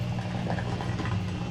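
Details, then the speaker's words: Maytag Centennial MVWC555DW1 top-load washer in manual diagnostic test mode, drain pump test: a steady low hum with watery gurgling, even and unbroken. The drain pump works normally; the washer's scraping fault was elsewhere. "7, now this number 8 is the drain pump. You're gonna hear the drain pump draining the water"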